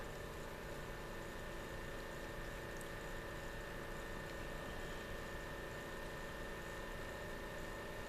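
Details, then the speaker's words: 12 V fan (sense lead unused) on 12 V at full speed, resting on top of a capacitor: soft airflow hiss, thin constant high tone and low hum; the noise is likely from the fan sitting on the capacitor rather than the fan itself. Hand pressure might stop it. "that I don't think it's coming from the fan itself that that's just because it's sitting on top of the capacitor I think if I put my hand on there to uh give it a bit of tension that would that noise would stop"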